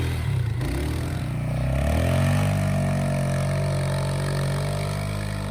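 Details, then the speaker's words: 2007 Polaris Scrambler ATV, running again after sitting over 4 years, with new front tires, plowing in the woods. The engine pulls smoothly under load, its note rising and settling with throttle, with no knocking or misfire: normal running. "So just a quick video of it working, as you can see. Plow works fine."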